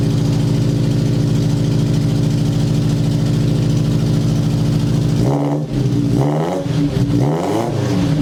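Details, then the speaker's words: 1977 Sigma Lancer after fitting long-tube headers: steady idle, then clean, smooth rises and falls in revs with a throaty, even exhaust note and no rasp or misfire. Before, it was lumpy low and raspy when revved; now aggressive the whole way through. "now it sounds real aggressive the whole way through"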